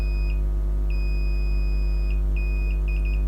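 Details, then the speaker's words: Novoferm three-phase rapid roll door controller component: repeated high continuity beeps across the part over a loud mains hum, showing it is short-circuited. "sides of that device I'm getting a short so I think that is short-circuit that"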